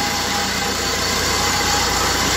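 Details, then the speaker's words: Maruti Swift at idle: an even, hissy whirr rides high above the engine. The AC compressor's front pulley bearing is noisy, and the engine itself is fine. "एक तो इसका compressor की आवाज आ रही है engine की बिल्कुल बात नहीं है कंप्रेसर के इसके बेंगलुरु आवाज कर रहे हैं"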